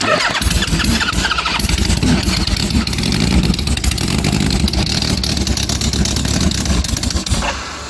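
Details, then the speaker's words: Homemade supercharged, fuel-injected Kawasaki Z1000 on a twenty-year-old aftermarket ECU with a guesstimated compensation map, started from cold, holding a fast idle with the throttle cracked. The beat is uneven and lumpy and it smells very fuel-rich. Suspected about 20% too much fuel at 12°. Rough running. "holding the throttle a fraction open there yeah smells very fuel Rich yeah maybe I put too much into it"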